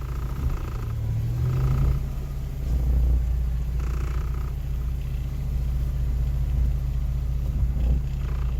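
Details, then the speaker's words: Geo Metro engine after in-place rebuild (honed, re-ringed, rebuilt head, new rod bearings), before break-in: steady even low rumble, slightly high cold idle, no knocks or ticks; normal idle. "Man, cranks right up and sounds good."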